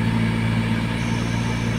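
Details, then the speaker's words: Car AC blower motor after cleaning; noise on speed four occurred only with vents closed: with air vents open, steady even low hum, no whistle, flutter or rattle; blower running normally. "तो ये कोई दिक्कत नहीं है इसमें, सिर्फ हवा बंद था इसीलिए आवाज़ आ रहा था, अब ये ठीक है।"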